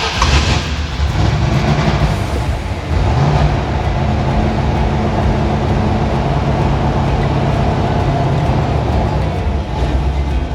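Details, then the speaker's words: 6.2 LS-swapped square-body crawler on a Holley Terminator X, idle and IAC adjusted: steady, deep V8 idle with an even low rumble and no misses or knocks. Normal idle, still needs fine tuning. "sounds decent now we just got to go in and do the fine tuning"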